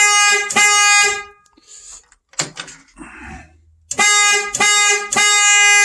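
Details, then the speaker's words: 1962 Mercury Comet with cheap replacement horn (original could not be revived): loud, bright honks in a few blasts, clear and strong with a full steady tone; horn works properly. "okay okay that's good so we got us a working horn"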